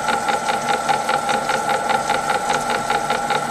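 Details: M300 gearbox with lid off, running in slow speed: sharp regular knock about two and a half times a second over steady gear hum; owner suspects a shaft, something seen on a dog, cause unconfirmed.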